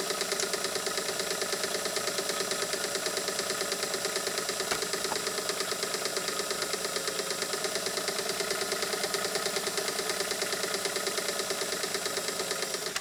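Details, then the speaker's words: Canadian-made Singer sewing machine with 0.95 amp motor after lubrication: fast, even clatter about three beats a second holding steady speed, picking up speed; normal running after lubrication. "We're even getting better speed out of her now because the raceway is the end point with the needle bar as far as where all of that kinetic energy is being transferred from that 0.95 amp motor. She's starting to pick up already."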